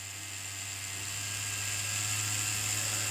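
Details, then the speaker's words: Cheyenne Thunder rotary tattoo machine at maximum stroke on test cable instead of original adapter, at 8 V and lower: steady low buzz with constant high whirr, even; starts reliably down to about 6.5 V, whereas original cables need about 9–10 V. "на 9 вольтах машина работает намного шустрее чем с оригинальными кабелями на 10 вольт"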